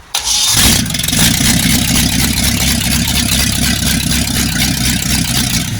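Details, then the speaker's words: Freshly rebuilt 1960s Chevy 327 V8: quick crank, catches at once and settles into strong even rumble with no knocks or ticks; oil pressure 60 psi, about 80 psi revved; healthy engine. "No, you're going to sound very healthy that motor. >> That's a good motor."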